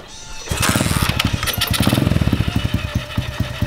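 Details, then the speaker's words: Free junkyard Polini 110 pit bike, sat for years, with a fresh spark plug replacing the old one: after a quiet start the engine catches with sharp even pops about ten a second and settles into a steady run. "saw some smoke did yo it's running though dude i'm like speechless right now i can't believe it actually it started that's huge"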